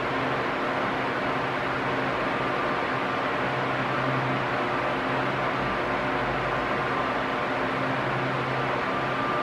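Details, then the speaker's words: Arno Silence Force 40 cm table fan, almost two years old, at medium speed: steady even whoosh of air with no rising or falling; normal operation, unlike a defective fan that oscillates loud and quiet. "Se o barulho tiver igualzinho, hum, não tem problema. É normal mesmo."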